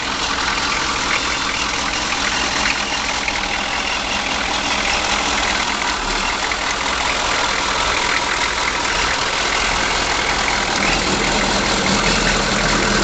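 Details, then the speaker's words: 1983 Chevy G20 Starcraft conversion van, 6.2 L diesel, last run before removal: steady diesel clatter at even idle, about three firing beats a second, no knock or miss; normal idle. "it's a 6.2 L Diesel and I'm taking this video because this is the last time this motor is going to run in this vehicle"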